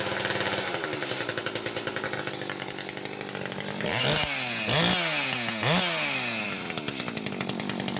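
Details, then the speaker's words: Echo 590 chainsaw with a 620 cylinder, muffler mod, timing key and swapped carb fuel nozzle, high-speed needle screwed fully in: screaming two-stroke with sharp rev sweeps, thin and high at full throttle, near 12,000-12,500 rpm; over-lean. "all right you can hear it there that's what the high side all the way in"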